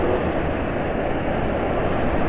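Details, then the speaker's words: Cold petrol engine on a home-mixed oil blend with silicone oil added, tested for fuel dilution: steady, even, smooth drone with no knocks or ticks; healthy. "kondisi sekarang ketika mesin dingin suaranya termasuk halus ya"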